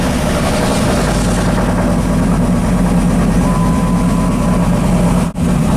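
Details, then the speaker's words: 2004 Dodge Ram SRT-10 V10 with owner-built turbo kit, first cold start after sitting about five months: loud deep idle with an uneven lumpy beat, warning lights on; owner thinks it runs lean and misfires from storage, left idling to clear. "damn she's lean sitting so long we got a bunch of lights on feels like it's misfiring"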